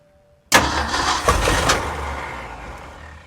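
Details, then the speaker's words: 1965 Ford F350 FE V8 after intake manifold reseal, distributor replacement and coil wiring fix, timing being adjusted: catches with a roar and uneven pops then fades, won't keep running; spark and fuel pump confirmed, a leak still suspected. "We have spark because it fired a minute ago, right? Yeah. Yes."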